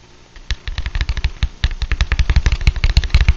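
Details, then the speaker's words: Blown speaker (ELO type) from a Lab Series L7 amp, cone tapped and moved by hand: dull thumps with scratchy rattle and rub from a burnt voice coil, despite reasonable DC resistance. "sound like that and this speaker also when you actually exercise the cone in and out this is almost freaky yeah see that's a voice coil that is just totally toasty under there"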